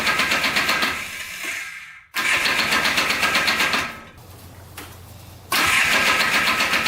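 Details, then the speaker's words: Junk Polaris Trail Boss 250 4x4 ATV, cleaned carburetor and new starter, run with the clutch removed to trace an earlier noise; small engine fires in lively bursts with no squeal, much quieter; clutch suspected misinstalled or worn, normal running. "all right so it's a lot quieter without the clutch so that's good um so i think the clutch was just maybe put on wrong or something"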